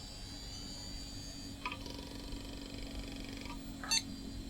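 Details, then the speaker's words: Retro PC hard drive with 16 MB RAM booting: low steady hum with a faint high whine building about two seconds, then a short beep; drive spins up and is detected, sounds half healthy. "it even sounds half healthy 16 Meg of ram 16 Meg not 16 gig yeah it's found the hard drive"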